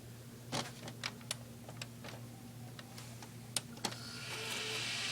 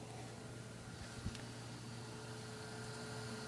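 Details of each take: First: Desktop PC with a temporary old ATI Radeon graphics card running at about 97 degrees, plus CPU, PSU and an added case fan: handling clicks, then a loud, steady airy rush as it starts. The graphics card fan is the dominant noise. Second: Asus Essentio CM6850 Core i7 desktop with case open, older ATI Radeon card at about 97 degrees, CPU fan about 16,000 RPM and newly installed case fan about 1,030 RPM: quiet, steady low hum and soft airflow, fans running normally.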